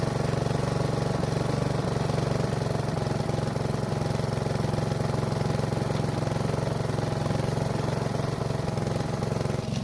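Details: Honda walk-behind mower after fixing fouled spark plug, draining old gas and addressing dirty air filter (old filter reused): single cylinder holds a steady, even beat with no stumbles or misses; runs properly.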